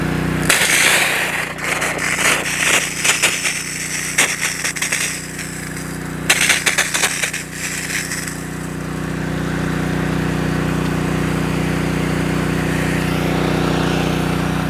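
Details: Honda engine-driven DIY fire water pump, hot day, choke on, hose kinked for back pressure: some clatter early on, then the engine settles into a steady, even drone under pump load without misses; healthy.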